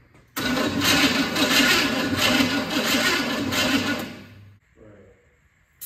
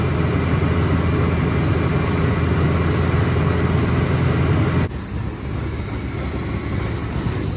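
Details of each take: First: Forgotten Chevy C10 truck, first start in over a decade, cranking: steady rhythmic cranking about four seconds, no firing; no fuel reaching carburetor after two fires. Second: Forgotten Chevy C10 V8, first run in over a decade after new starter, wiring, ignition and rebuilt carburetor: even steady rumble, no knocks or misses, fading near end as it possibly runs out of gas; running cleanly.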